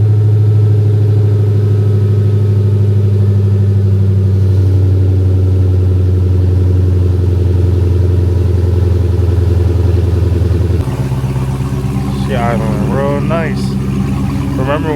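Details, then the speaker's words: Chrysler 300 Redeye V8 after rebuild, jump-started on a dead battery, previously misfiring when dropped off: deep steady idle, even rumble, no stumble; check engine light on with no codes; normal idle. "they first dropped it off to us it was misfiring listen to it now sounds pretty good now I got the car running"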